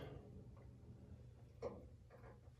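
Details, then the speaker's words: 2009 GE gas water heater with the pilot burning, after no hot water overnight, not the first time; faint irregular light ticks over a quiet room hum, sounding like the pilot going off though it stayed lit; intermittent ticking, cause unknown. "what was that noise? It sounded like that pilot went off, but it didn't."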